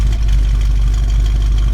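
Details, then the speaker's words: 1979 Pontiac Firebird V8 at idle: a deep, heavy, steady idle with a slight rhythmic chop typical of a lumpy cam, giving a lopey idle. "all right so we have lights listen to that chop real quick moment of silence"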